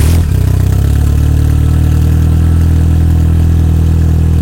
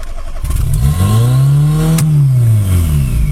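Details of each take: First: Fiat Seicento Abarth with newly fitted turbo and Ecumaster ECU, second first start, no radiator fitted: low steady idle at 950 rpm, air-fuel ratio 13–13.9, everything synchronized, battery charging; smooth normal idle. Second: Fiat Seicento Abarth with a newly fitted turbo, first start after the build: revs climb by themselves to a high hold with no throttle, then slowly sag; owner strongly suspects an intake air leak.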